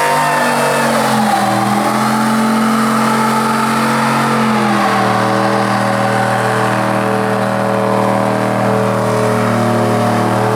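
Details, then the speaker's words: 2004 Chevy Silverado 1500 LT 4x4 with long-tube headers, stage 4 cam, 3000 stall converter and an eBay exhaust cutout, valve closed while driving: deep, smooth V8 burble rising and easing with throttle, no rasp, drone or leaks. Normal exhaust note. "ah right it sounded pretty good that's why I'm kind of considering just welding the pipe back together and taking the whole cutout out and just having regular because it still sounds good it's quiet enough that it's not obnoxious"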